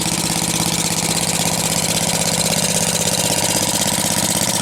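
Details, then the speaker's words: 1948 Briggs & Stratton WMB engine, first cold start after purchase at auction, with the gas tank swapped but old varnished gas still in it: quick, even single-cylinder popping with no misses; runs pretty good. Normal idle. "there you have it too runs pretty good BR Straton wmb"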